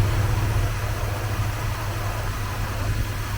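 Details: Bronco as the ignition timing is advanced to 8° BTDC, which raises the idle: steady, fairly smooth low idle with an even rumble and no misses or rattles, so the timing is correctly set.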